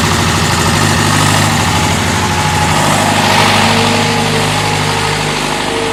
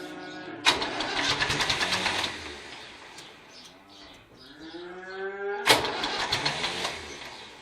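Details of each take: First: David Brown diesel tractor, which had been hard to start (a flat battery was questioned, throttle linkage checked): loud, steady diesel clatter at an even idle of roughly three beats a second, smooth without stumbling; idling fine. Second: David Brown tractor, started knocked out of gear. Two bursts of fast, uneven starter churning with a pause between, never catching; cranks but won't start. Starter reportedly kicks out worse as it gets hotter; throttle linkage checked; a flat battery is questioned.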